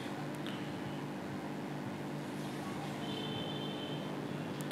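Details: Hitachi AC indoor unit blower motor with PCB fault slowing it, before speed-control circuit fix: steady low motor hum with faint whir on top; blower turns noticeably slower than it should.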